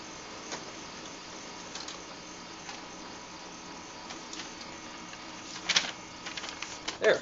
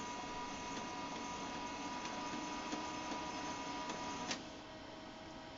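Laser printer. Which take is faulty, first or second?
second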